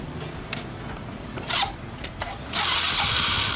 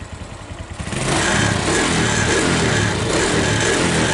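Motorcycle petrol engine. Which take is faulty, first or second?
first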